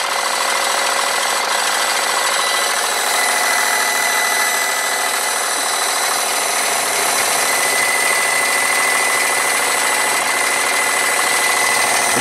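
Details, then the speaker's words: Wilesco D32 toy steam engine, converted from electric to gas fired, running on live steam. Steady chuffing with an intermittent thin squeak from the driven generator; it stops when the generator stops. Owner thinks the generator needs taking apart. "that bit of a squeaking in here is I think I need to take the generator apart I'll stop the generator squeak's gone squeak back I think I've got to do something in there there bit of a squeak coming from there"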